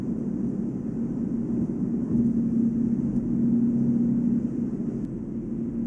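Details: Volvo S80 at about 145 km/h (±5 km/h): a steady, quiet low hum rises over road roar, only with brand-new 245/40 R18 Goodyear Eagle F1 Asymmetric 6 summer tires. It is unchanged by accelerating, braking or cornering, and there is no wheel play, so a wheel bearing seems unlikely. Owner suspects tire tread or rim design.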